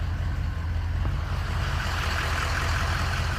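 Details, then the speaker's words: 2003 truck with an erratic idle surge: deep, mostly steady idle rumble with faint unevenness in the beat, surging a couple of times quickly, which is not normal, plus a slight miss; cause unknown. "but I felt it surged just a couple of times real quick and that is very uncommon that's not normal so got a little miss right now"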